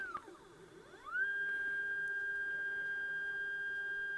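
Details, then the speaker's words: iOptron CEM120 mount declination axis slewing at speed 9 after gear adjustment, microphone right next to the mount. Pitch sweeps up to a clean, steady, quiet high whine with no catching or grinding. "pretty quiet maybe this is I'm standing right next to this with my microphone now so it's reasonably quiet"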